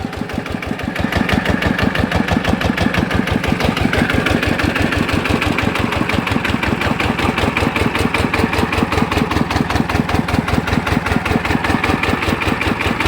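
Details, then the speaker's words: Customer's Chao Phalang single-cylinder diesel after replacing several noisy timing gears (two idler gears and the cam gear were kept); it catches, then runs with a steady, even thump and no gear rattle, much quieter than before. "อ่ะนะครับถือว่าเงียบนะครับจะ้ได้นะครับจากเดิมที่มานะครับลังกว่านี้เยอะนะครับ"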